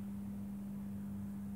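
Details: Mike Smith Metro lantern retrofitted from a CDO lamp to a GEC high-pressure sodium lamp, warming up outdoors through its orange phase. Steady low mains hum at one constant pitch with no buzzing or flutter: normal ballast hum.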